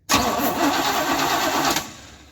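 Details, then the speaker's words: 1977 GMC Sierra 35 1-ton dually after sitting about 20 years: the starter spins the engine briskly for about 1.5 seconds, but it does not fire; it cranks but fails to start, so ether is planned next. "Oh, she's gonna run. We gotta go grab the ether out of the bump side and we'll just spritz it and see what it does."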